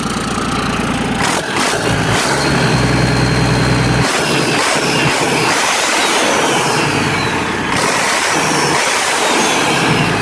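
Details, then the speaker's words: Freshly rebuilt Mack E7 diesel on first start, before going into the truck: loud, steady diesel clatter settling to an even idle with no knocks or misfires; engine healthy. "all right choling nice and smooth engine rolling quiet this is how we do it all right good go yeah jlt Jr once again we have it running as you can see and as you can hear E7 ma motor"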